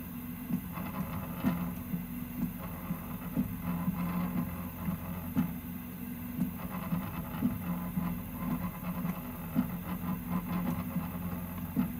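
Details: Prusa MK3S+ 3D printer humming through its moves while a sharp rattle ticks in irregularly, about once or twice a second, from the Y-axis/bed.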